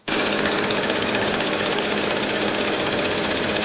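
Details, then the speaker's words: Audi A8 with EA839 3.0T turbo engine, cold start: fast metallic ticking chatter from the left side of the engine, most obvious above 1800 rpm under load; worn valve rocker arm roller bearings with enlarged clearance. "这个 A8 的异响就是来源于它的气门摇臂，这个气门摇臂的滚折轴承，它的磨损间隙被扩大，就会造成这个异响。"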